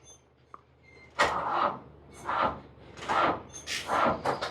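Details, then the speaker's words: Old backhoe that is stubborn after sitting, cranked on a good battery before using a jump starter: slow, labored cranking at about one stroke per second, straining and dragging, never catching; engine struggles to crank. "It does not want to crank. It struggles."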